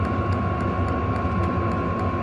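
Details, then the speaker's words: Hcalory 5–8 kW 12 V diesel air heater on first test run: even, steady hum with a constant whistle and soft fuel-pump ticks about three a second; no smoke, quieter and settled, running normally and stably. "Okay, so with the sounds a little bit quieter, I think it's happy where it wants to"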